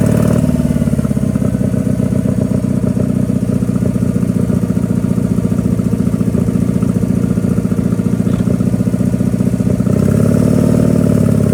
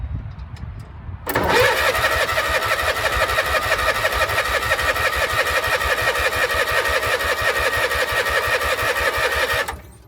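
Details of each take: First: Power King 2417 economy lawn tractor after carburetor cleaning, new starter and fuel filter: V-twin chugs with an even, steady beat, holding speed under load while hauling; normal running. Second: Power King 2417 lawn tractor with starter and fuel filter fitted, weak battery: steady cranking about three turns a second for eight seconds, never catching; no spark because the ignition switch was grounding the coil kill wire.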